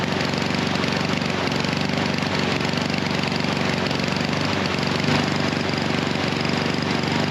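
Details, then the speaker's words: Husqvarna HU 700F mower that runs poorly then shuts off: held at full throttle, it runs uneven and lumpy with no steady beat, then dies. The easy-start auto choke system is suspected. "All right. And there it goes. That was full throttle the whole time and she just dies."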